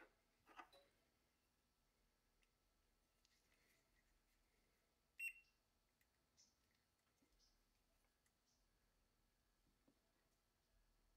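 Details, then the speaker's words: 2007 Honda Element relay bench test during P0498/P0135 check-engine diagnosis: the relay gives one crisp click, no chatter or buzz, and resistance drops to zero. Healthy relay; a different one was intermittently failing. "this relay is given that definitive single click sound and going straight to zero so it's probably a good one"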